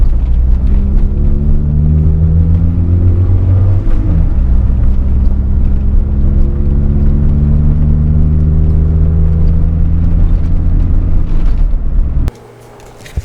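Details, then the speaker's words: 1993 Honda Del Sol SI on a test drive after a targa roof rattle fix: steady engine drone and road rumble while cruising, with no tapping or rattling from overhead over bumps; roof now quiet. "Alright, so test drive confirms that it actually helped."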